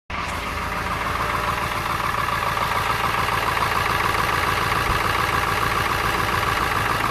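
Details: 1999 Ford F350 7.3 L diesel V8 at idle: clattering with a slightly uneven, lumpy beat and slight engine shake, a mild misfire, with exhaust smoke.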